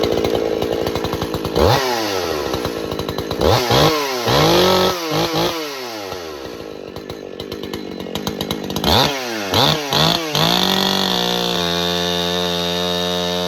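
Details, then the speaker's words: Husqvarna 268 XP ported chainsaw, after repairing a crankcase seal leak that made it lean out and flare in the cut: strong, high, steady scream through the cut with occasional light four-stroking; tuned about perfect, normal cutting under load. "You could hear it occasionally hitting in a little 4-stroke down through the cut, which means it's tuned about perfect."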